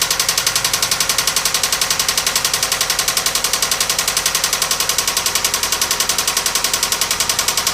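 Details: 1997 Toyota Camry, engine cutting out repeatedly with white exhaust smoke: sharp, even metallic knock about 220 per minute over idle; possible blown head gasket with coolant in oil suspected, not confirmed; serious engine knocking.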